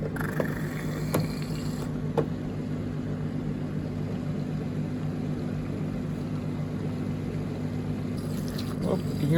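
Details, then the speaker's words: Street-found Indesit IDCE8450 condenser dryer, after its condensate pump was cleaned and water added to flush it: steady low electric hum under splashing water, no clicking or labouring. Pump running and pumping normally. "pumping and it made a mess seems to be working"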